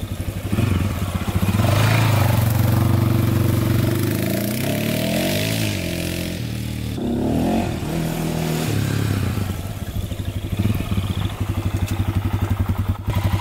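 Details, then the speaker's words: 2001 Honda 400EX single, rebuilt and warmed up after heat cycles: even thump with a couple of throttle blips settling cleanly, no knocks or rattles; smooth, quiet, healthy engine before a test ride. "she runs really good really smooth very smooth very quiet machine here"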